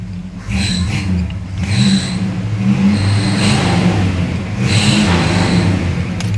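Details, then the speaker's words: Large car on a lift, engine revving: a sharp high belt squeal comes in about four times with the revs; otherwise the engine sounds good. The car also has an occasional clunk, possibly from the left front. "Aside from the belt squeal, you know, it actually sounds pretty dang good."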